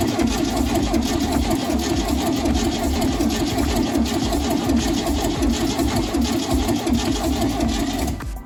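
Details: 1971 VW Bus Kombi flat-four, cold start during restoration with no exhaust or accelerator fitted; loud, even, rapid clatter from open ports for about eight seconds, then cuts. Runs cleanly, nothing wrong with the motor.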